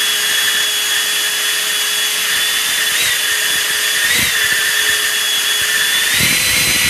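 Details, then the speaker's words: J2 prototype RC car: smooth, steady high-pitched EDF fan whine with brief pitch dips as throttle changes, fan at 50% at neutral, wheel motor engaging past neutral; fan and motor running properly. "that's what's supposed to be happening out in the streets people you see once i'm at neutral throttle the uh the edf is at 50 and then once i go past neutral i start engaging the wheel motor"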